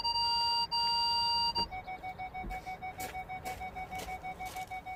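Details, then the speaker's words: Ford Galaxy parking sensors after repairing the faulty speaker (fault B1B53): clear steady tone, then quick pips about three a second as someone passes the sensors; parking alarm working properly. "Hold on, just let me pass in front of the sensors so you can hear it beeping differently."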